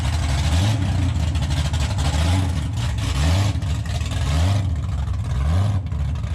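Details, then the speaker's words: 2014 COPO Camaro with factory supercharger on baseline pull under load: deep roar with a pulsing surge about once a second; never used to do this, bypass valve was blocked off, cause unclear. "It's never used to blower surge like that. I don't know what the heck's going on. It sounds like one of those burnout cars from Australia."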